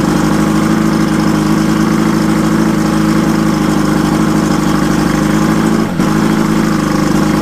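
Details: Mercury Thunderbolt 500 50 HP outboard, first run after complete rebuild (reeds, bearings, rings, distributor, carb, fuel pump, impeller; compression 123–124 psi): steady, even two-stroke burble with smooth regular beat, no knocks or misses; idling cleanly.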